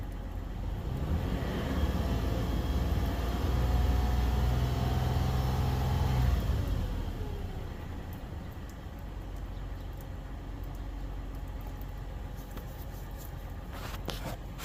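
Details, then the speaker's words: 2015 Toyota 4Runner 4.0L 1GR-FE V6, 241,000 miles, after replacing a cheap oil pressure switch that flashed the oil light at idle: smooth even low idle for about six seconds, then shut off. Normal idle. "So before I put the reservoir back in its home, I'm going to start it up and make sure that it's, for one, not leaking, and two, hopefully that light will stay off."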